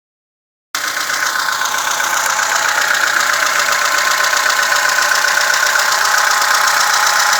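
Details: VAZ 2106 at idle: fast, very regular light ticking, about four per second, over a steady idle, sounding like valve tapping; cause suspected, not confirmed.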